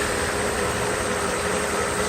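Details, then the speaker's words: Mercedes SL600 V12 after the repaired throttle body test for an ASR fault: a smooth, even idle with a steady hum and no misses or ticks, running nicely. "as you can see it works pretty happy with the result you see the engine runs nice"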